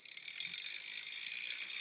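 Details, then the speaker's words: BBSHD single-speed ebike with prototype DIY hardware-store chain tensioner, aluminum bar with two jockey wheels mounted behind derailleur hanger. Fast tinny metallic chatter and ticking over the spinning drivetrain; owner suspects vibration of the metal. Noisy but working: chain rattle. "so I think it's something to do with like the vibration and this metal so I think there may be some way to dampen this sound that we're hearing but it's a little bit noisy right now but it's working"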